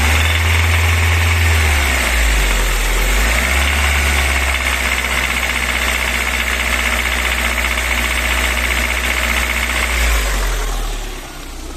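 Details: VAZ 21124, bought with this noise and driven 13,000 km since, oil pressure 2 kgf/cm²: a ringing knock at about 1500–2500 rpm when revved unloaded, gone under load and quieter when cold. Engine knock, cause unexplained.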